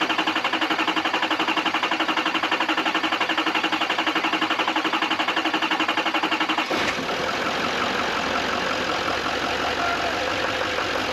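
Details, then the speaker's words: Duramax diesel after head gasket replacement, fuel filter primed, missed rail fitting fixed; engine side primed by cranking: regular cranking about four turns a second for seven seconds, then fires and settles into a steady, even run. "we're going to have to crank it over a few times cuz from what I understand the only way to Prime the actual engine side of the system is by just turning it over so let's give it a try and see what happens"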